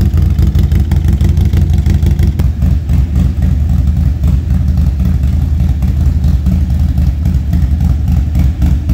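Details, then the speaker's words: Harley Street Glide ST V-twin with 135 build, stone cold start after new lifters and camshaft for an engine noise; revs cleanly, deep even exhaust beat, no top-end tapping; normal revving. "So, that's, you know, the bike runs beautifully now. It's quiet. It's great. And it is ready to tune."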